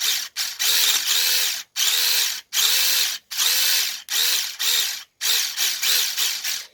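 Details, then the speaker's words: Traxxas T-Maxx 2.5 RC nitro truck being revived after mystery oil in carburetor and cylinder: nine or ten short high whirring starter bursts, no firing; starter spins but engine not starting, owner suspects the starter's one-way bearing. "I think we've got like a little bit of an issue with that cheesy start down there, that little one-way bearing thing."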